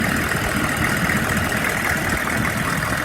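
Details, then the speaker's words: 2002 Chevy 3500 utility truck, 6.5 L diesel, 71,000 original miles, jump-started on dead batteries without starting fluid: steady even diesel clatter at idle, consistent low rumble, no knocks or misses; engine sounds good. "The engine sounds good."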